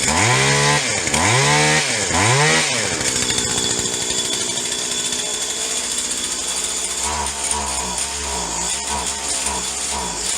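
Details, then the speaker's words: Stihl HL 75K two-stroke hedge trimmer found in trash, after new parts and priming, choke off: revs surge up and fall back three times, then a ragged steady buzz; won't hold high revs, suspected plugged high-mixture carburetor circuit. "so it sounds like the hi mixture circuit on the carburetors plugged up so we're gonna have to take it apart again and clean it out"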